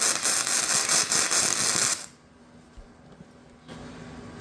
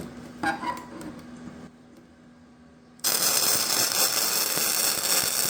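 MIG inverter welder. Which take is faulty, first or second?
first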